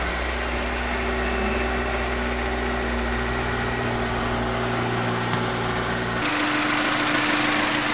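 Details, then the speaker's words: Honda S2000 after new radiator, upper hose and coolant, while bleeding the cooling system: smooth, even idle with no knocks or misses, a steady rushing sound joining near the end; no leaks, waiting for thermostat and fan. "So far so good, no leaks. Just waiting on the thermostat to open up and the fan to kick on."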